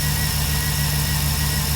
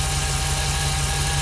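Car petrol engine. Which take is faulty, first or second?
first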